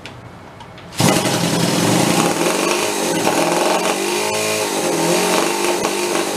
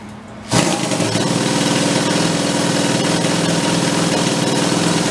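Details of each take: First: Homebuilt motorcycle with two small two-stroke engines from OCC twin chopper bikes, first start in years, after re-priming and choke, a little warm: the engines catch and settle into a busy crackling two-stroke rattle under light throttle; both are now firing. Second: Steampunk-style custom motorcycle with multiple carbs on a thumb-throttle linkage, first start after a few years in storage, choked and primed: fast, uneven lumpy putter, sounds like only one cylinder is firing.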